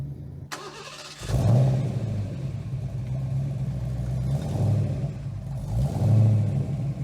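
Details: 1990 Fox Mustang 5.0 V8 started after the snapped stainless exhaust piece was re-welded: catches after a short crank, settles into a deep, steady idle, then revs cleanly and evenly. Healthy.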